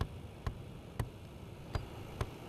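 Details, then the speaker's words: Heater turned on full: sharp irregular clicking and thumping from the heater flap actuator as its cogs jam on a broken gear. "as you can see, but there is just a broken cog on that mechanism there."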